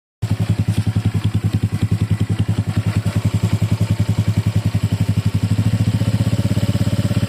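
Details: Honda Click 150i scooter idling with a loud, rough, clattery pulse that firms slightly near the end. Abnormal noisy engine running; the cause is not stated.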